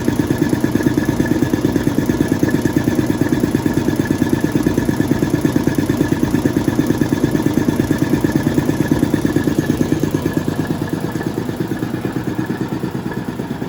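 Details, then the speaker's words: Restored air compressor pump on an 80 gallon tank building to 20 psi before a leak test: even, quick pulsing chug just under two beats per second, smooth and quiet, no knock or rattle; normal running. "I still can't get over how quiet this thing is. It might sound quite loud to you guys, but relatively speaking, it's pretty quiet."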